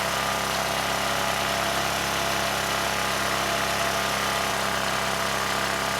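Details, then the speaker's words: ETQ 2700-watt generator with brushless powerhead, after carburetor work keeping the original jetting: even, high-pitched drone with no surging, 70 Hz with no load, still running fast with governor spring tension fully backed off; overspeed from misadjusted governor. "the good news is it's no longer surging the engines running really well and actually a little bit too good it was at 70 hertz without a load so i backed off the tension on the governor's spring pretty much all the way there's no tension left and the engine kept running fast"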